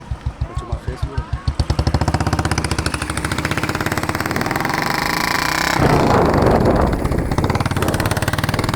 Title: RATTLING sound 2